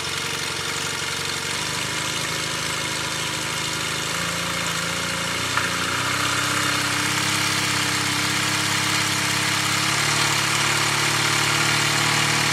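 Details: Yamaha T-Max scooter at idle with a quick blip: a dull, regular knock beneath the engine note, about three a second; worn crankshaft bearing shells.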